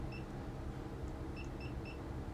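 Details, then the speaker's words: Titan Impact X 120 cordless backpack airless sprayer during cleanup: short, high electronic beeps over low handling rumble as paint is poured out of the hopper, the low-material warning. "you'll hear the beeping as I pour the material that's the warning that it's low on"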